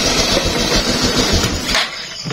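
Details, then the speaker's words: Honda XRM fuel-injected motorcycle during troubleshooting, started after reconnecting wiring; engine catches and runs roughly a second or two, then firing fades and it dies; engine starts then stalls. "namatay na siya. Ayan, patay na pati makina."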